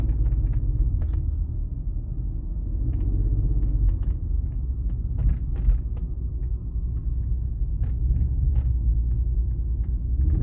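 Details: BMW 330ci petrol engine with a deep, low rough idle rumble that wavers and surges unevenly for ten seconds with no steady rhythm; cause unknown.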